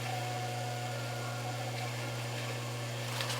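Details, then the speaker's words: Hot tub circulation pump spinning dry, airlocked and not moving water: steady low hum with a thin, hollow tone and no water churning, heard after powering up during heater/GFCI breaker-trip diagnosis; fix is to stop the pump to let the air out. "I can actually hear this pump and tell that it's not moving water has a very distinct sound to it when it's not moving water"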